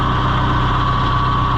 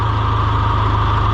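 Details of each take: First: John Deere 2020 HU diesel idling with hydraulics quit after getting stuck: the pump's usual clickety-clack ticking is absent; owner suspects a half-sheared pump drive key. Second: John Deere 2020 HU tractor at steady, even low diesel idle with constant hydraulic pump hum; works fine right after starting, though hydraulics slow down the longer it runs.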